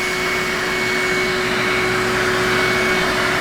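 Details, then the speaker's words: Older yellow Numatic James JVP180 vacuum, heavily abused, clogged filter: steady motor roar with sharp high whistle on top, sounding strained; no suction, motor sound not right, cause not yet confirmed. "dojin's has no subsea suckie right now so we're gonna have to fix that"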